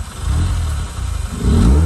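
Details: 2004 Mazda RX8 manual rotary, not started in 2 years, after repeated deflooding: cranking gives way to a ragged catch, then revs climb and are held high on the gas; some smoke seen, owner suspects lost fuel trims.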